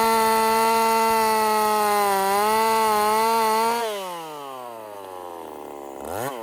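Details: Husqvarna 50 Partner 5000 hybrid race chainsaw on its first cuts after a rebuild with a machined piston taper, in wood too big for the bar; a strong, steady high note under load, then a clean wind-down off throttle with no misfire. Normal running under load.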